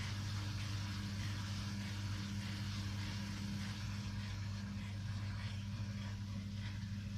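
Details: Samsung WW5300 washing machine (WW95T534CAE) on only its second use, loud steady drone with a hard hum and rough mechanical rumble; very loud from the beginning, cause not pinned down.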